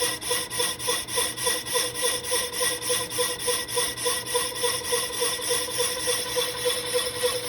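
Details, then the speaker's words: Lathe resurfacing an old Willys Jeep clutch pressure plate, with an anti-chatter band, faster power feed and a vise strip: scraping metallic cut pulsing about three times a second with a ringing, buzzy edge; still chattered quite a bit. "anyway tough to tell if that's chatter or if that's just sound from it cleaning up the existing chatter find out in just a second here yeah still chattered quite a bit"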